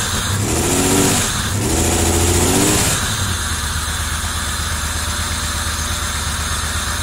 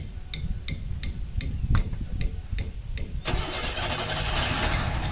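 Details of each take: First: 1990 Camaro RS after 12–13 years sitting, new fuel pump, plug wires corrected to firing order, timing not yet set: crank then steady even idle with a few throttle blips, runs smoothly; normal idle. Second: 1990 Camaro RS first start after 12–13 years sitting, new fuel pump and sending unit, fuel lines blown out: slow cranking then catches and runs lumpy and ragged; misfire because plug wires were crossed out of firing order.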